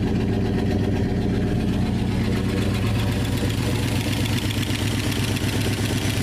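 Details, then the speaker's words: 1969 Dodge Dart V8 revived after sitting, with rubber expansion freeze plugs fitted. A lumpy, smoky idle carries a rapid light lifter tick over the exhaust rhythm; the lifters later quiet down. The points may be burning. "Well, the lifters have quieted down. That's good."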